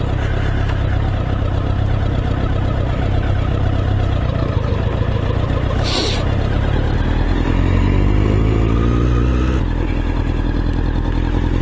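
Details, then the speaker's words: 1988 Honda CBR1000F, first ride after 7-year rebuild, sitting in traffic: deep, slow burbling rumble like a Lancaster bomber with a lazy beat; tick over still seems a bit low. "But you're just burbling along. Lancaster bomber. Oh, tick over still seems a bit low."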